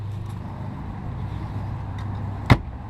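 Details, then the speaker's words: Car glove box after anti-rattle fix with plastic material: steady low engine rumble with one solid thud as the lid shuts, no buzzing or rattle, closes more solid with fewer vibrations. "so now you can see look at that I mean it's not moving at all I don't hear I don't hear that noise at all anymore and it just it closes a lot more solid a lot less vibrations"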